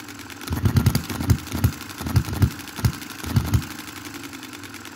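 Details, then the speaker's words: 2022 Enjomor Chinese hit-and-miss engine after valve timing correction and a spring added to the governor latch: spaced bursts of sharp firing pops, about two a second, with quiet coasting gaps; an even beat, running properly. "i'm absolutely pumped about that as you can imagine it's running cool"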